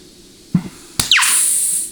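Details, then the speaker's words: 4L80E rebuild, case air check of intermediate: a short thump, then a sharp hiss as trapped air whooshes out, showing a good clutch seal. "Okay, hear all that trapped air whooshing out? That means you have really, really good sealing integrity in that clutch."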